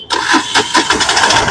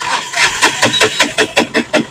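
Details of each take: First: Mahindra Maxmo passenger diesel after repair of a cranking-but-not-starting fault: brief crank, then it catches promptly and settles into a regular diesel clatter, starting cleanly; pickup still to be checked. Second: Mahindra Maxmo passenger diesel that sometimes starts and sometimes doesn't: starter churns about two and a half even beats per second for three seconds without catching, cranks but won't fire.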